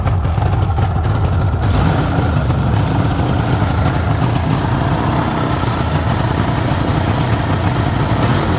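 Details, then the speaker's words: 1974 Suzuki GT750 two-stroke triple, ground-up restored about five years earlier with new pistons and rings, started stone cold (not run that day) on choke: loud, steady burble holding an even idle without misses or surging; normal cold idle. "so it's absolutely cold i'll turn the ignition on as you can see it's absolutely cold not been started up today"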